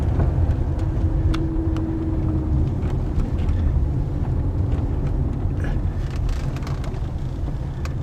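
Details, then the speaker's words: 2009 Toyota Corolla, 190k miles, rolling: scattered sharp clunks when stopping, starting and turning; outer tie rod boot cracked and leaking grease, replaced with Delphi TA2996, inner tie rod fine; worn outer tie rod. "recently the car have some kicking noise I believe they come from the outer tie wall or ball joint"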